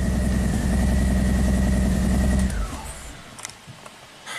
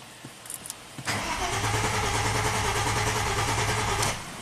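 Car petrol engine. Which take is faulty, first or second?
second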